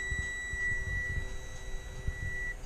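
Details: New Spedix IS30 ESC on a drone with 2633 motors twitching and getting hot in Betaflight: multimeter continuity tone holds about 2.5 seconds between LiPo negative input and motor #2 output, showing a short.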